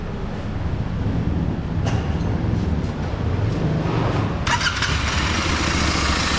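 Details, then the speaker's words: Royal Enfield GT650 twin idling at service centre before tappet adjustment, cloth stuffed in loud exhaust to hear engine: light ticking knock from loose, unadjusted valve tappets. "Sound వింటున్నారు కదా, ఇదే sound knocking sound వస్తుంది కదా, అదే టాపెట్ sound."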